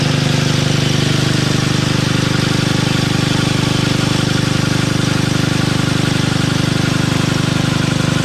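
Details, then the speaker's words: Toro 58-inch professional 3-gang reel riding mower after unseizing the blade PTO, reels engaged and spinning very fast; steady even engine beat with smooth reel spin, no rubbing or shaking: normal running with reels engaged. "I'm looking through the screen and it shows it moving slowly. In reality, this thing is spinning very fast."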